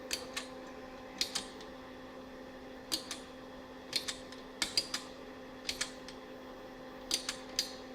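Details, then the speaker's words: Ash Flash Discoverer II fluorescent lantern ballast on bench supply, voltage raised past 10.5 V: steady low buzz with faint even whine, handling clicks, no ringing; now drawing normal current after earlier drawing over an amp, suspected failed paper capacitor. "So if I crank it up now, see, now it's drawing a normal amount of current. Oh yeah, it's drawing a totally normal amount of current now."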